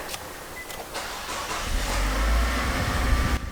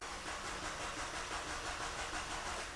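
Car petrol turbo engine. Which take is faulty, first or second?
second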